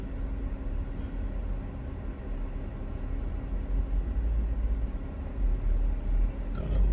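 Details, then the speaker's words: Rough idle on startup, noticed after the PCV valve was replaced. Low rumble swells and dips unevenly, hunting for about 43 seconds before settling. Owner unsure whether something is clogging it; surging rough idle. "can see where it's kind of going up and down there and then after a little while it'll just find that it'll kind of slow down"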